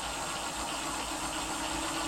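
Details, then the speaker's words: E-bike hub motor at full power after swapping in a new KT 30A controller with parameters set: steady even whir at one speed, no knocking, scraping or rough spots; runs smoothly. "let's listen to this uh turbine noise and after this I'll put it on five level five on the display and we'll check it out okay so this is with the new controller swapped out everything situated in the right place parameter set"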